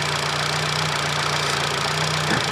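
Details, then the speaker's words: Fiat Uno FIRE fuel-injected engine, not yet fully warm, idle set slow via throttle adjustment, fan belt off: slow, steady, even tick-over with a smooth low rumble and no knocks or misses; healthy idle. "But as you can hear, it ticks over quite nice. The engine's not that warm."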